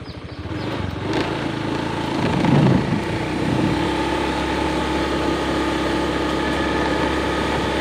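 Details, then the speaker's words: Honda Beat FI scooter at quarter throttle, low speed, after fixing low-end stumbling that occurred in rain and cold air: steady, even hum with no RPM dips or hesitation; the cause was a faulty O2 sensor. "Gas seperempat, aman dan stabil. Tidak ada penurunan RPM , tidak ada lagi gejala tersendat."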